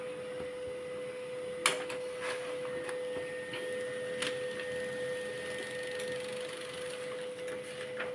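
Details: Canon LBP 2900 laser printer after repair of a scanner error and paper feed fault: even, steady mid-pitched hum with light irregular clicks from paper feed, no grinding or stalling; printing normally.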